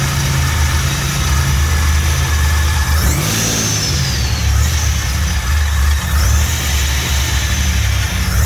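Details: Fully built 3800 V6 race engine, first start: smooth steady idle with two clean throttle blips rising and settling evenly, no knocks or misses; successful start, no leaks.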